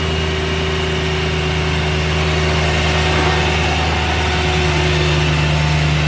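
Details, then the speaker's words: BMW E92 M3 V8 first start after oil service and new spark plugs: smooth, even idle with steady low hum, no ticking or misses, no check engine lights; normal idle. "what do you think so far sounds perfect let's go a little warm up all right guys car is all running perfectly no check engine lights or anything like that no weird ticking noises"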